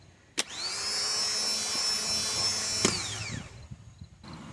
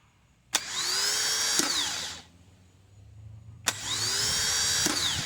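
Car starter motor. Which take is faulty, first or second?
second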